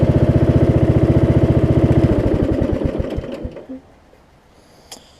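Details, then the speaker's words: Craftsman single-cylinder riding mower after deck belt, blade engage cable and return spring replacement: steady even thump idle, smooth and regular until shutdown; healthy idle. "that's a little tight so I need to loosen up a little bit for the Racing funny the idols down nicely too nice and smooth"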